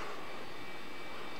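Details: Small cooling fan in a netbook running on 12 V from an ATX power supply (green wire grounded) at power-up: soft steady whoosh with faint constant whine, no rattle or grinding; normal fan operation.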